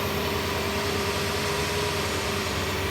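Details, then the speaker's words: Dually pace truck at idle after swapping back to the older throttle body gasket and reconnecting injectors: short, steady, even idle hum without stumble or misfire; fuel spray more consistent, issue considered solved. "oh man sounds good oh yeah that that fuel spray is definitely a lot more consistent"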